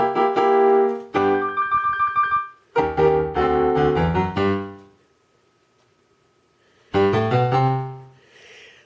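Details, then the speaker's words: Roland MKS-20 digital piano module after replacing the dirty-contact bypass relay that caused distorted output, played via MIDI from an MC-50 sequencer (Great Balls of Fire): piano notes ring clear and even with no hum, crackle or dropouts; normal audio output. "That means Jim will have one that has a nice brightly lit screen and sounds good."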